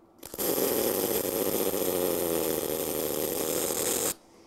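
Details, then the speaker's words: Eastwood MP200i MIG welder with spot weld kit and timer turned up far: one continuous crackling hiss about four seconds, too long for a spot weld at same voltage, burning through the sheet. "way too long there so you got it turned up that far way too far it's just going to burn away"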